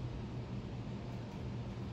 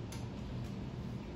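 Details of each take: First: 52-inch Harbor Breeze Pawtucket ceiling fan, remote-controlled, running with lights on: faint, even low hum with no clicking, wobble or rubbing; fan turns smoothly and quietly. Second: A 52-inch Harbor Breeze Pawtucket ceiling fan on high speed gives a quiet hum with faint, irregular ticking. Its bad wobble was already fixed, but it still makes noise and the cause isn't clear.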